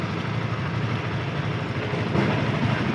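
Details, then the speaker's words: Yamaha FZS V2, 437 km, after tappet and timing chain adjustment: even, steady single-cylinder idle with a smooth low beat and no top-end tapping or rattle; normal idle. "এখন সাউন্ডটা সুন্দর হয়েছে, একদম perfect sound. Tappet adjust করা হয়েছে, timing chain adjust করা হয়েছে, সুন্দর,"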